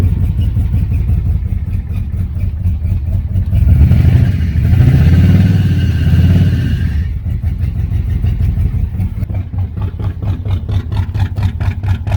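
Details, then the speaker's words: 1983 Oldsmobile 98 with fire-damaged 350 diesel V8, revved: rough, uneven clatter with a lumpy beat swelling with revs then settling; owner believes the head gasket blew, engine to be replaced. "Yeah, it might be head gasket. Yeah. Head gasket went."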